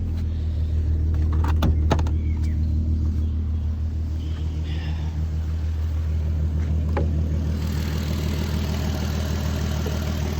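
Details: VW Golf R32 VR6 Edition 30, idle after cold-start whirr clears on restart: low steady hum, no whirring or hunting, smooth idle; owner notes it currently runs a bit rough on cold start.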